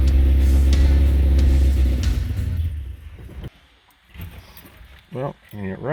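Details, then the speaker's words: 1977 Toyota Celica GT with just-rebuilt Weber 32/36 carburetor, first start attempt: carbureted four runs loud and lumpy about three seconds then falters and dies; won't hold idle. "it seems to be still getting fuel all right let me do some tinkering and see if i get this thing to stay idling"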